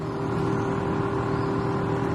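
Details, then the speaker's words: Heater blower, right after the fuse is reinserted: a steady, even whirring fan hum that never cycles off; the blower runs constantly. Owner suspects a fault he must replace, not confirmed. "all right so pop the fuse in in immediately the blower the blower comes on so oh they're doing something but it works as you can hear"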